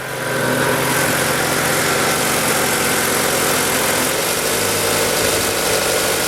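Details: Ford Lynx, previously crank-no-start with no fuel pump power or injector trigger, traced to the crank sensor giving no signal: after repair, steady, even idle with no misses, knocks or stumbles; running smoothly.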